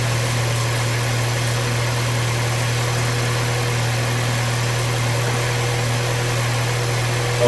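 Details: 2019 Volkswagen Jetta 1.4L at 70k miles, first start after serpentine accessory belt replacement: steady, even idle hum with a smooth low drone and no chirp, squeal or ticking from the belt; engine sounds healthy.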